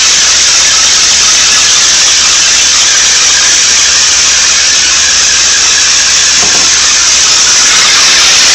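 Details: 1992 Nissan 300ZX running: loud harsh steady high-pitched squeal with a hissy edge, same regardless of engine revs, louder at the front right of the engine bay.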